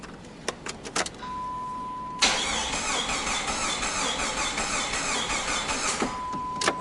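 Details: 1999 Jeep Grand Cherokee no-start, cranked with a rigged starter button: starter spins the engine evenly for about four seconds with no firing; missing fuse 19 found, still no start, traced to a bad crankshaft position sensor.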